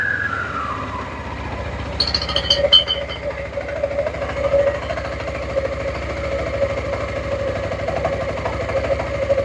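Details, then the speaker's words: 2007-2017 Suzuki Burgman 400 after belt replacement and CVT maintenance: falling whine as revs drop, then light metallic tings as clutch shoes expand and contact the bell housing; normal engagement. "Cool. It's doing exactly what it should be doing. That tinging is very normal because what's happening is when the clutch makes contact with the bell house, it gives a big ting."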